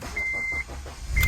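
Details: 8th-gen Honda Civic Si with a suspected cracked radiator, brief start before repair: two short chirps, then the engine catches quickly and settles into a steady low rumble with no stumbling; a normal start.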